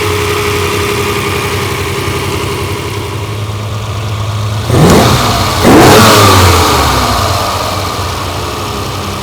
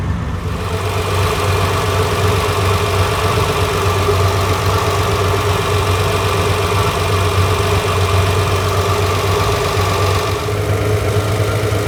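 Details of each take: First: Ferrari 330 GTC carbureted V12 after idle mixture adjustment and carburettor synchronization by adjusting screws: even idle, then two crisp blips rising and falling cleanly and settling back smoothly; normal revving. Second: Ferrari 330 GTC V12 at idle, heard at the carburettor tops during recommissioning: deep slightly lumpy beat and intake hiss, carburettors running rich; mixture screws leaned off, revs rising as adjusted.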